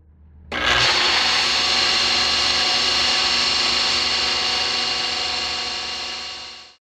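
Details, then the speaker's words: Pool pump motor switches on into a loud, harsh high-pitched grinding screech that holds steady until it stops; the motor's bearings are going out, shown in contrast to a bad run or starter capacitor hum and click. "this pool has a motor that has bearings that are going out you're going to be able to hear the motor right now we turn it on"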